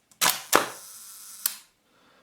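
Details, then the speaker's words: Hasselblad Planar C 80mm f/2.8 T* leaf shutter at 1 second after servicing the sticky slow gear: crisp opening click, steady escapement buzz for about a second, clean closing click; timing normal. "Wow, it looks good. Yeah, I think it sounds like it is actually very good. Let's do it again. Yeah, it's pretty good."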